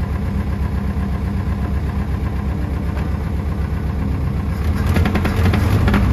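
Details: International Scout 80 (1963–65), sat over 10 years, revived and driven; not all cylinders seem to fire: deep steady rumble with rough, uneven exhaust beat growing louder; owner suspects exhaust, possibly the motor, unconfirmed; temperature and oil pressure came up.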